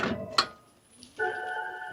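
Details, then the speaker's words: Nissan e-NV200 electric van, 2 years old, 38,000 miles: one sharp crack from the front wheel when lifting off into regen or accelerating, as drive shaft torque reverses; drive shaft spline clunk at the hub. "it makes a sort of a cracking noise when you lift off the accelerator and the regen kicks in or you accelerate and it's when that drive shaft is moving like that you get that loud crack"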